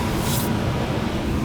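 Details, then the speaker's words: Indoor air handler blower (TXV system), first floor, running after replacing the corroded, burnt control board that caused the AC to ice up; filter changed: steady even whoosh with low rumble, no rattles or squeals, normal blower operation. "fan's running now. I'll check the charge outside."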